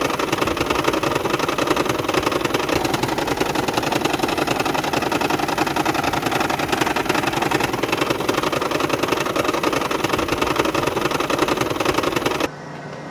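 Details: 2010 Toyota Prius hybrid, customer recording while driving: loud uneven engine rattle and irregular shaking pulses, heavy misfire near stalling, no stored fault codes.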